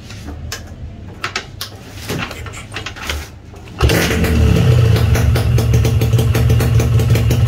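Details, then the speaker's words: Restored Yamaha RX King two-stroke engine with a fresh bottom end (crankcase, gearbox, clutch), run without head rubbers: quiet clicks, then a steady, even crackling idle, with no knocks or rattles; normal idle. "jadi nggak ada gejala motor ker ketika ditarik kupling, karena komponen bawahnya sehat, nggak ada masalah."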